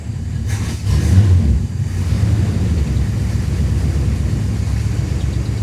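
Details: 1966 Plymouth Fury II 318 V8 after tune-up with fresh oil: deep, uneven rumble that stumbles and lopes after a throttle blip; running rough, seems to clear up on throttle, owner wonders about the fuel pump.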